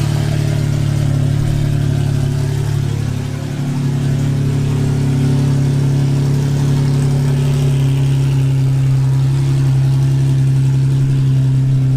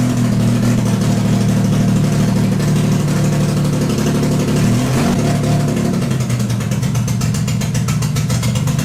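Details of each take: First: Cammed full-bolt-on Infiniti G35 V6 after crash rebuild, cam timing redone to fix exhaust cam bank 1 out-of-time code: deep, steady lumpy idle, even loping beat, no ticks or knocks, no check engine light. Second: Cammed full-bolt-on Infiniti G35 V6, first start after crash rebuild: loud, uneven lumpy running; code and data log showed exhaust cam bank 1 out of timing by -45 degrees.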